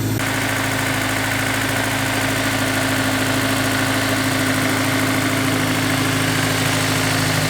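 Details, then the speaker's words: Honda S2000 at cold idle with air pump running, before installing a Ballade Sports timing chain tensioner: light, fairly regular clatter over the engine hum from a slack timing chain; knocking gets louder once warm. "it doesn't sound at its worst right now but after the car is warmed up a bit it you can definitely hear it clocking"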